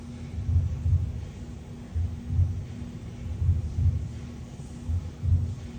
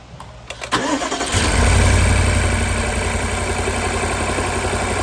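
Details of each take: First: BMW N63 V8 after replacing the DME and bleeding its secondary coolant circuit to cure a cylinder 4 no-spark misfire, with all eight plugs new: a deep, even idle rumble, misfire gone. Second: BMW N63 V8 with a misfire on cylinder 4 by the firewall, no spark from its coil and a suspect DME: it cranks, catches and idles lumpily with a deep uneven pulse.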